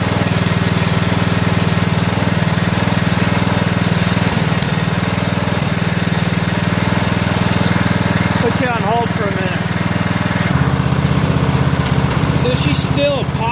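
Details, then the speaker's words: 2000 Scotts lawn tractor, 17 hp Briggs & Stratton Intek OHV single, running steady with an occasional soft pop through the exhaust; misfire popping, spark plug suspected. "a little bit I wonder if it's more of a Mist than a pop maybe we got to just throw a spark plug in a real quick see what that does"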